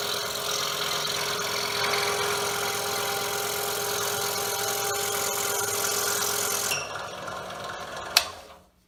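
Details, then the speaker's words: DeWalt scroll saw repaired with blue Loctite on loose bolts, set to about 1171 strokes per minute, No. 2 crown tooth blade cutting wood: even, smooth buzz with no knocking, then a clean stop; normal cutting after repair. "It's nice and quiet. We no longer have the knocking noise."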